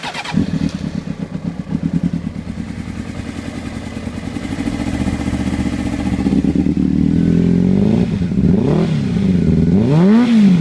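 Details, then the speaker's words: Honda CBR600RR motorcycle with a cylinder misfire, owner has traced it to one header: uneven, lumpy idle with irregular dropped beats and sagging revs, then it fades and stalls, won't stay running; cause unclear. "That's the sound I'm getting from it. And I found out which header it is. See, it doesn't want to stay on. It'll just die, right? Just like that."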